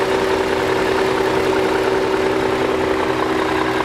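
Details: BMW E39 M5 V8 after rebuild and cleanup, cold start recorded on the camera's built-in microphone: smooth, steady idle with even low hum and no knocks or ticks; healthy from cold.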